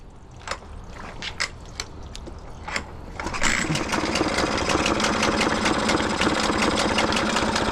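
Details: Hangkai 6HP two-stroke outboard, cheap Chinese motor for a Saturn MC330 catamaran, cowling off and running in water: a few cranking pulls, then a quick, even, buzzy rattle that holds steady; healthy normal idle.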